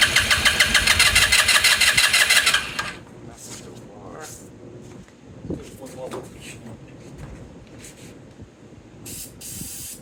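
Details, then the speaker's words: 2018 Lance Cali Classic 125cc scooter, cranking after more gas was added; fast steady cranking about three strokes a second for about 2.5 seconds, never catches. Suspected fuel starvation; unchanged fuel filter to be checked. "battery back on back on back on you see this thing did not getting gas all right you got to figure that out"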